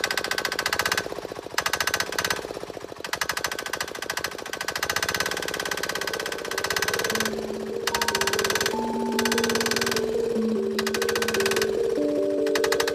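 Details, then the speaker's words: Diesel go-kart engine at idle after removing some high-pressure fuel pump spacers to raise fuel pressure: hard, rapid metallic clacking at about 3.5 knocks per second, noticeably louder injection clatter than before the change. "So after pulling out the some of the spacers there for this high pressure fuel pump, it definitely is a lot more clacky when it's idling."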